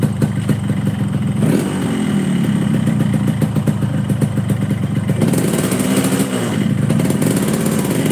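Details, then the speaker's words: Yamaha RX-King two-stroke load test, stationary in gear with brake held and clutch released: it keeps buzzing along instead of stalling at once, revealing compression leakage below and above. "jika motor ini memiliki performa yang normal Maka langsung mati begitu kopling lepas langsung glak ya ini harusnya seperti itu Lur lah kok ini tetap hidup e gek Ya paham maka bisa disimpulkan bahwa adanya kebocoran kompresi bawah dan atas"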